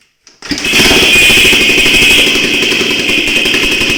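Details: XLX 350 motorcycle, running engine: a fast metallic rattle with a sharp ringing tone on top. The cause of the engine noise is unknown.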